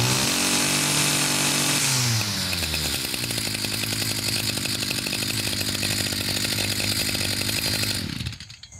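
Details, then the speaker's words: Stihl FS55RL line trimmer two-stroke after tune-up and primer bulb replacement: high revs fall to a buzzy, slightly uneven, burbling idle; still running a little rich on oil. "still a little Rich right with oil I'll mix up some fresh uh because this is old um"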